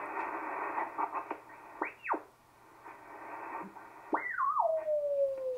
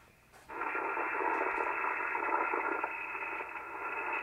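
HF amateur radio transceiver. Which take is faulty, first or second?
second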